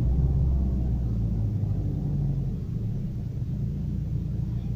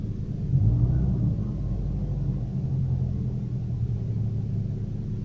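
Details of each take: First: Daewoo Lanos/Nexia-type engine after throttle position sensor calibration to 0.55 V, restart: revs start high then ease quickly down to a low, steady idle, no misses or knocks; normal start and idle. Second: Daewoo Lanos/Nexia-type engine, cold, after throttle position sensor calibration to about 0.55 V: a low, uneven rumble at idle with a wavering beat, then the revs swell; it responds oddly, as if starved of fuel.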